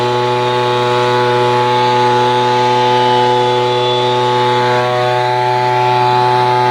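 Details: Echo PB-210e two-stroke leaf blower, 25+ years without maintenance, after spark plug connector and boot repair and cleaning, before carburetor adjustment: steady high buzzing pitch with no sputter or dropouts; normal running.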